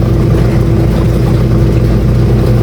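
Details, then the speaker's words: Top-load washing machine after wash motor replacement, filled with water: low steady motor hum, even drone, no rattles or squeals; the earlier on-off noise is gone, running normally. "Umaandar na siya at yun, nilagyan nga natin ng tubig. At wala nang ingay siya. Okay na siya."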